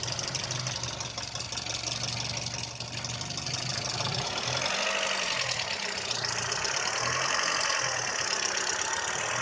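Idle beat is lumpy and uneven, the low thrum wavering and dipping every few seconds; rough idle, cause not yet pinned down.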